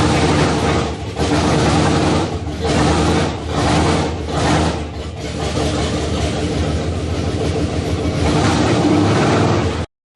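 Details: 1967 Chevrolet Impala small-block Chevy V8, first startup after 40 years in a shed: rough, surging running with dips and stumbles, valvetrain clatter and pops back through the carburetor; lifter noise noted.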